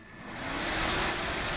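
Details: Helper Prestige 160A inverter welder at power-on after replacing the HER207 at D05 with a dual diode wired as one rectifier (the HER207 had been overheating, suspected slow recovery); smooth fan hiss spins up cleanly with no relay chatter, normal power-on.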